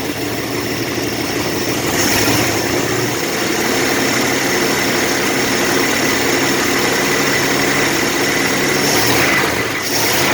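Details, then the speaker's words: Revived Dodge Wagon engine after its cylinders were cleaned out with carb cleaner: a steady, even note that picks up smoothly on a light throttle blip with no knocks and no blue smoke, though some blow-by is noted. "That sounds good."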